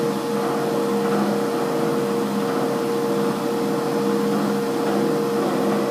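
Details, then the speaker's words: Year-old gym treadmill run at speed 10 (running speed) with nobody on it: steady motor whine with a rough, uneven rumbling noise that comes and goes intermittently, worse than at walking speed 6. "as you can see it's sort of um intermittent I'll stop that it's it's kind of intermittent"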